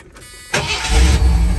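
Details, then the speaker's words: Ford bullnose truck with hard starts, after retarding ignition timing that was suspected too far advanced: a quick crank fires straight up into a smooth low rumble before warm-up, its best start yet. "I'm going to let her get warmed up good but right now I mean that's better than it's ever started since I've had it"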